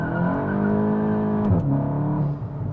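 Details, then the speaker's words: Tuned Mk8 GTI, warmed up, after installing 034 dog bone mount upper and lower inserts: full throttle in second gear, steady rising engine note, brief tire chirp, no drivetrain smacking; no wheel hop. "No wheel hop, guys. Holy crap. Okay, so most circumstances, that would have been a wheel hopping mess, right?"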